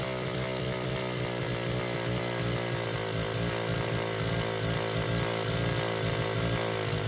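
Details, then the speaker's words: Baja 49cc mini bike, sat since auction purchase, carburetor rebuilt: steady, high buzzing drone held at full revs with no drop toward idle; racing, won't settle despite throttle screw unscrewed. Owner suspects air intake; unconfirmed. "Bike is a Baja 49cc mini bike. It does crank and run, it stays wide open on the throttle, and won't idle."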